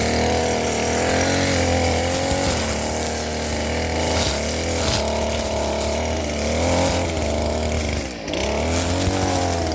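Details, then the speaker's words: STIHL FS38 curved-shaft two-stroke trimmer cutting with a new $20 Chinese carburetor after at least 2 years unused, not yet run in; steady buzz dips under load and recovers, slight lag coming up to speed on trigger: normal running under load. "It's got just a little bit of lag. When I squeeze the trigger, it takes a minute to come up to speed. But again, it's a Chinese carburetor."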